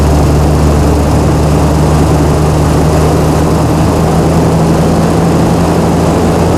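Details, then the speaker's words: Chrysler 225 Slant 6 generator engine with new Holley Sniper EFI, idle screw adjusted by hand aiming for about 1800 rpm, governor not yet connected; deep even hum at one steady speed, no surging or missing; normal steady governed-speed running. "I'm gonna see if I can set the uh set the idle screw high enough to get the engine to rest at 1800."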